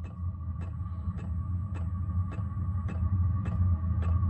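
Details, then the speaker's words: Diesel workshop heater on red diesel, Odyssey 12 V battery plus charger, full blast during start: even fuel-pump ticks about twice a second over steady blower hum and whine until it ignites; normal start-up. "it's just ramping up now you can hear the uh the blower in the motor it's just changed tone it's ignited I've got warm air coming out of the duct there it goes"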